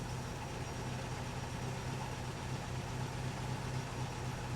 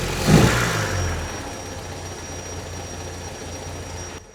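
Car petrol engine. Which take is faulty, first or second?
second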